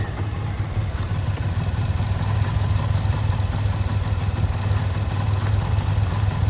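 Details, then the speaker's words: 2011 Yamaha FZ-16 push-started after about 7 months unused; owner says something is wrong, not running properly, jumps like an auto-rickshaw; low steady single-cylinder thrum, slightly uneven beat; rough idle after long storage. "എന്തോ ഒരു വിഷയങ്ങളുണ്ട്. Full മര്യാദ ഓടുന്നൊന്നുമില്ല. കൈ ആക്സിലേറ്ററൊന്നും കൊടുത്തിട്ട് വണ്ടി ഇങ്ങനെ ഒരുമാതിരി പെട്ടിയോട്ടോ പോകണ പോലെ ഇങ്ങനെ ചാടി നിൽക്കുക."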